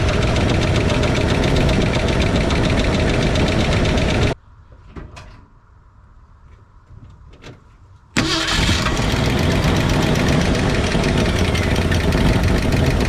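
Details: 1968 Ford F100 8-cylinder at idle, valve cover off during valve adjustment: loud idle with quick, even clacking that stops briefly then returns, as each rocker is loosened until it clacks for 10-15 seconds.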